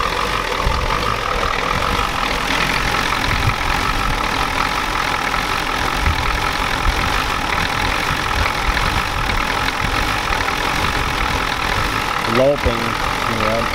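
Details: 1993 Ford F-250 7.3L IDI diesel after sitting since Monday: a rough idle with a loud, uneven clatter over the rumble and wind noise. The pump was checked and found out of time, it smokes, there may be air in the lines, and no fuel leaks were found.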